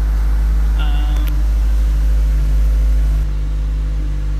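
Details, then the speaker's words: Ford SVT Focus idling after installing a Steeda rear engine mount (fitted upside-down in this clip): steady, deep even idle with no rattles or random vibration buzzes that were heard before. "but now you don't you don't hear all those random noises so excited to see how it's gonna be when I Drive it"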